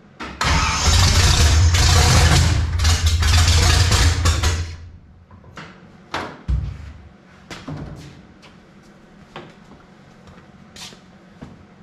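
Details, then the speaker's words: 1955 Chevy small block V8, first start after sitting roughly 10-12 years: catches from cranking with a loud uneven roar for four seconds, then dies to sputters and scattered pops; hard starting, rough running, oil pressure present. "All right, so we get fire, but she don't want to run that good. We do got oil pressure."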